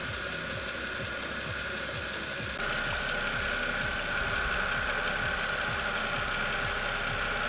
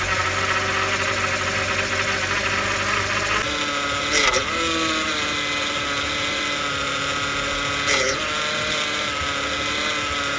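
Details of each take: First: BMW E92 328i idling after power steering fluid change with Pentosin CHF 11S; the cold-start steering whine that faded with warm-up is almost gone, only a faint thin tone remains. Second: BMW E92 328i idling, engine started during power steering fluid change: steady high whine from the power steering pump that dips and strains as steering turns; whine worst on cold start, almost gone after fresh fluid.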